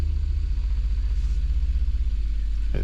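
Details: New Artillery Sidewinder X4 Plus S1 3D printer running its resonance compensation calibration after setup, to reduce ringing in prints. Deep, fast, even buzzing shake that shakes the frame and camera, with no knocking or grinding. Normal calibration.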